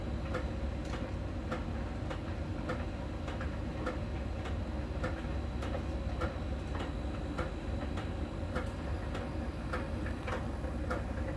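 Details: Miele tumble dryer during drying: soft ticking about every half second over the low hum, from a small ball sensor rolling over the drum and touching a contact spot each turn; normal, per the Miele technician.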